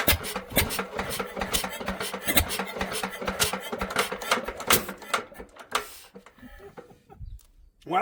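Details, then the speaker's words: Bamford SG3 stationary single-cylinder engine, first start in 30 years, after much cranking and choke: thumping run with a sharp regular knock each beat before dying out; owner suspects rod knock, may need white metal bearings, compression good. "she started to run and she's got a bit of rod knock I think I found the reason"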